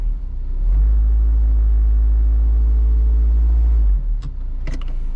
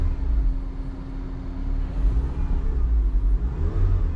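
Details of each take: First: Worn engine mount: a heavy low droning boom at idle in gear, loudest in reverse and park, less in drive. The vibration varies with engine RPM and is felt in the seat. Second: As you can see, completely different. Vibration is gone.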